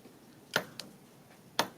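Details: 2008 Honda Fit evaporative vent solenoid (normally open), code P2422 stuck closed, bench tested with a Power Probe 3: two crisp clicks about a second apart as power is applied, solenoid engaging.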